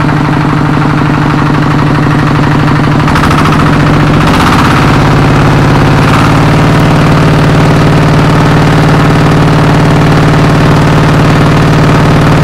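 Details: Kubota RD85DI2S tractor diesel after repair of worn piston and bearings (complaints: radiator water loss, oil from exhaust, sputtering, no start): hand-cranked, catches after a few seconds, settles into steady even thumping idle, no knocks or misses; healthy.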